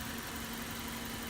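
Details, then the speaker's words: 2005 Chevy Cobalt with 50,000 miles, sat unused and due an oil change: quiet, even idle with a steady low tone and no squeaks, knocks or ticks; the engine runs cool and healthy. "miles a gallon runs nice and cool no squeaks no knocks no noises"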